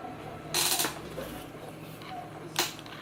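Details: Fanatec CSL Elite PS4 wheel base in game (Assetto Corsa, FFB gain 70%, kerb effect 30%, FEI 070, driver 293 beta, firmware 335) with two short, bright rattling bursts under force feedback.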